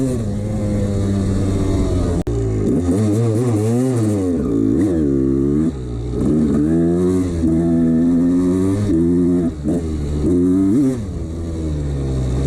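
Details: 1989 Honda CR250 two-stroke revving up and down with a hollow rattle under the exhaust, worst coming off throttle; worn piston slapping the bore, ignored by the owner.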